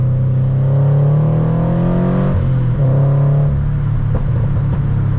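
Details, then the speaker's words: Subaru BRZ driving: deep, loud booming exhaust drone climbing with revs, dipping at a shift then building again; healthy but loud, drone obnoxious on highway; owner plans new headers to quiet it. "I mean how do you not love that how do you not but the problem is when I'm on a long road trip or if I'm on the highway the Drone is so obnoxious that I can barely like talk to the person in the passenger seat"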